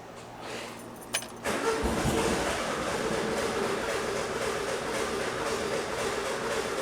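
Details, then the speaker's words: 1976 VW Super Beetle cranking steadily at about three beats a second without firing, with no fuel reaching it yet. The car has a history of backfiring; the starting problem was later fixed at the carburetor. "All right, let's give it some cranks."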